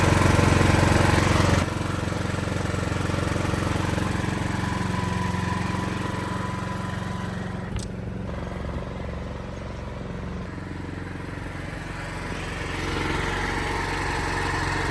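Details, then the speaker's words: Home standby generator in an enclosure, carrying the house load during testing: steady, even low drone with no knocks, surges or misfires; runs smoothly and fairly quiet. "It's already a quiet generator, and it's in an enclosure. When you hear it compared to other portable generators that are just sitting outside, it's quite quiet."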